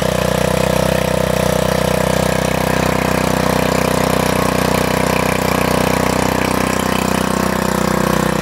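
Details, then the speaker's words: MTD wheel edger repowered with a 79cc Harbor Freight Predator engine, new 31-inch belt, linkage adjusted; started on choke, quick even single-cylinder putter about three beats a second, steady with no misses. Normal idle. "Let me start it up for you. Choke. Sounds good."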